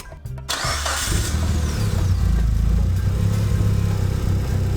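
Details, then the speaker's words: Mitsubishi Evo VIII-IX after installing Skunk2 Pro Series intake manifold, throttle body and fuel rail: brief crank, fires and holds steady, deep, even idle; idle slightly low at startup, adjusted screw, now runs like stock, no leaks. "Just slightly adjusted it, and now it runs basically like stock. No leaks."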